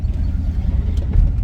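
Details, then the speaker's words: 1997 Chevy K1500 V8 accelerating from a stop after a new mass air flow sensor. It previously bogged and sputtered under hard throttle, never setting a code. Deep even rumble pulls cleanly with no stumble or hesitation; fixed. "I just gained like 30 horse and it doesn't hesitate I'm ecstatic dude"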